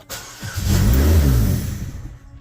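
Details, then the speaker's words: 2012 Chevy Malibu after engine swap, original ECU and ignition not yet swapped to match: engine catches and rises about a second, then sags and dies, not getting expected air-fuel, won't run. "starts but it's not getting what it needs so it won't run"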